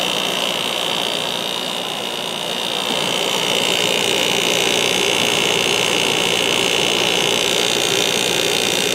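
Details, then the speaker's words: 1994 White Westinghouse 5,200 BTU air conditioner, Goldstar compressor, on low fan at about 3.9 A: an even hum with steady airflow hiss; the compressor is briefly louder after sitting for a long time, then quietens. "and the compressor did get a little loud now you can kind of hear how it sounds after it's been sitting for a while but that will go"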